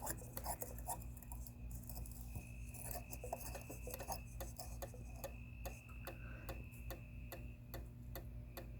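Sharp clicks repeat steadily, about two a second, over a faint electrical hum; the sensor relay is chattering instead of switching on.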